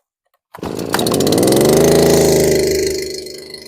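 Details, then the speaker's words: STIHL FS 251 brushcutter cold start, primed, first pull on full choke gives a blip, then half choke: catches, revs to a clean steady buzz and eases back smoothly, no stumbling or misfire. "I'll put it in the full choke position and pull. You heard that blip. Let's put it in the half choke position. It should come on now."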